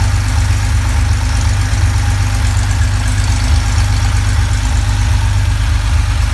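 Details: Porsche flat-six idling: deep, loud idle with an irregular stumble about once a second, a lumpy beat from a lean misfire.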